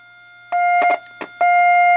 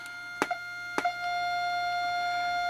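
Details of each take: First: Heathkit T3 visual-aural signal tracer: clean, steady mid-pitch test tone comes through strong with probe clicks at the tube grid input (pin 4), before comparing with the weaker output; clear test tone. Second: Heathkit T3 visual-aural signal tracer, 12SH7 tube stage: steady test tone with probe clicks, much quieter at the plate than at the grid, showing signal loss across the tube; low gain.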